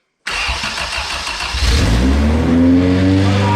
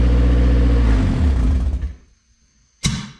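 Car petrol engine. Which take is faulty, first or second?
first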